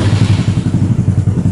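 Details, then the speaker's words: Yamaha Mio SOHC 4-valve scooter with longer silencer, oil cooler and hoses relocated: even, regular thumping at about ten beats a second, smooth and steady with no misses; normal running. "Sekarang di starternya lebih enak teman-teman. Suaranya lumayan ya. Ini udah pakai silencer yang agak panjang."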